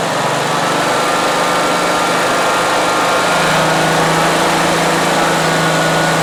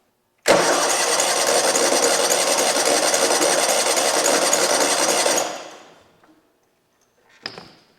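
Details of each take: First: 2003 Exmark zero-turn mower, abandoned and not run for years, revived late at night: loud steady engine drone easing slightly in pitch as throttle comes back to idle, running evenly; normal running, though fuel is spraying everywhere. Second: Abandoned 2003 Exmark zero-turn mower on its own fuel system with choke: starter churns steadily about five seconds but never catches; choke cap pops off, fuel pump leaking; cranks, no start.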